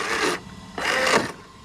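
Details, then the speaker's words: Redcat Vigilante RC truck fitted with an 800 kV motor: two harsh half-second rasping grinds under throttle with no smooth drive between; the rear diff, possibly the center diff, is stripped, leaving front-wheel drive only. "okay sounds like we blew diff already sounds like the r diff is [Applause] shot doesn't sound good whatever it is she don't like"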